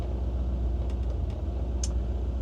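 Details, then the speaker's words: 1955 Ford Crown Victoria with a remanufactured 302 V8, Holley Sniper EFI, C4 automatic and smaller-diameter exhaust: a soft, even, muffled idle with no lope or ticking, no big cam; a quiet, healthy V8. "Muffled down, pretty quiet. Don't hear a big cam or anything like that."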